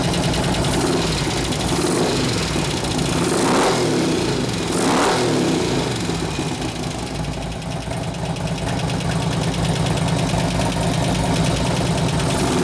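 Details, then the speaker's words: 2004 Harley FLHT Twin Cam 88 touring, first start after cam change and tensioner bearing repair, with fresh gas, new oil and new lifters; revs and settles with a light, quick tick. Supplier says new lifters need 15–20 minutes to pump up. "I had to bring you know Altima lifters put in there so so SNS told me you run it for about 15 or 20 minutes and it should go away every time"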